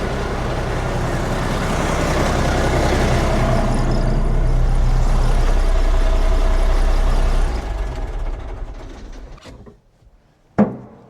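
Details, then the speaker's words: Komatsu D85E bulldozer diesel after injection pump retiming and drive coupler repair, final test before returning to service: strong even diesel rumble, fires right up, no misses, pops or smoke, then winds down; normal running. "oh she just runs so good now fires right up no smoke that's just what we want to see"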